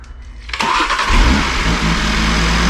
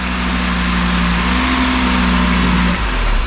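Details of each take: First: 2019 Audi RS3, badly damaged, second start after oil redistributed, no intercooler fitted; starter whirs briefly, then a smooth, even, fairly quiet idle: normal start and idle. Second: Damaged 2019 Audi RS3 started after sitting, running without an intercooler; revs climb with a steady drone but go flat, stumble and drop off. Bogging attributed to the missing intercooler.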